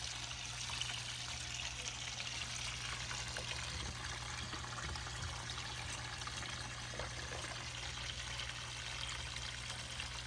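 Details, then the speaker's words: GE dishwasher that would not drain, now draining its full tub. A steady hum under the hiss and trickle of water being pushed out evenly, with no grinding or rattle; the drain pump is working normally. "But since it's full of water, here we are, we're draining."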